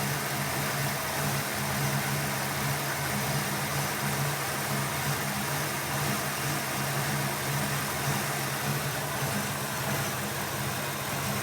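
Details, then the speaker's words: 1995 Ford Mustang SVT Cobra with brand-new sensors, before intake removal: idle rises and falls slowly in a steady cycle over low engine hum; surging idle, vacuum leak suspected, not confirmed. "that is the surging can you hopefully on the video you can hear the idle going up and down up and down this is actually doing pretty well there it is"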